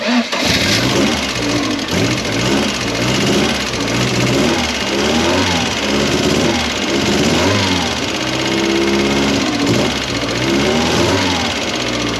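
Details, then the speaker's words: Mk1 Ford Fiesta with Zetec conversion, after setting valve clearances with new shims: engine fires and revs smoothly with a faint light tick underneath; much quieter than before, tick thought to come from the injectors. "there is still a ticking noise which I'm kind of expecting there to be but I think that is coming from the injectors"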